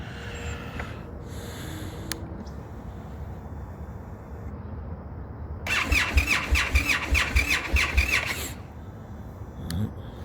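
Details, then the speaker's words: Indian FTR at about 36–40°F ambient, engine temperature 40 degrees, recurring cold no-start despite repeated dealership visits: starter cranks in quick repeated pulses about three seconds but engine never catches; hard cold start. "ridiculous i keep taking these videos because they say it's fixed the problem is fixed and how many times i'm going to keep having this cold start problem"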